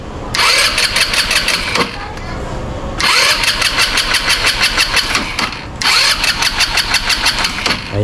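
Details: Easyride 150N motorcycle hard start: three long cranking bursts of about two seconds with pauses, engine never catches; engine dies repeatedly, CDI replaced with an XRM 125 DC CDI.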